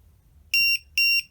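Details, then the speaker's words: MJX Bugs 3 drone with added lost-model beeper in panic mode: loud shrill beeps about a quarter second each, repeating roughly twice a second, a rapid-succession locating alarm. "So we get a rapid succession beep on that, which is even better yet, instead of just a flicking up and down."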